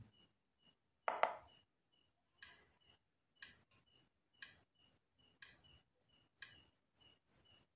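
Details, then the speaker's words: Yamaha Mio Soul GT scooter that dies suddenly when throttled, injector actuation test from scanner; five crisp evenly spaced clicks about one second apart, scanner reads normal; normal injector active-test clicking. "injektor injektor juga sama kita klik enter di sini nanti ada bunyi jetik lima kali"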